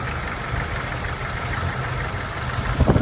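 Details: Jeep 2.5L running a little cool at idle with rough, fast light ticking in time with the engine; owner suspects flat or worn lifters, tick comes and goes and usually disappears once warm.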